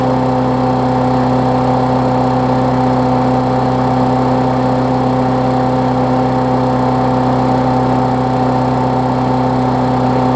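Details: Briggs Classic engine swapped onto a Bolens push-mower deck, running while a newly wired ground kill switch is tested (the plastic frame later proves to block the ground): steady, even hum at constant speed, no misses, rattles or hunting; runs fine.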